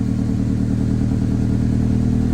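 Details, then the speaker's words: 1998 Honda Civic, suspected bad MAP sensor, after reseating the throttle body O-ring and clearing codes: a loud, lumpy, uneven rough idle with MAP reading about 11–12; owner suspects the ignition timing may be off. "I don't like it. Live data says map sensor showing about 11, 12, 11."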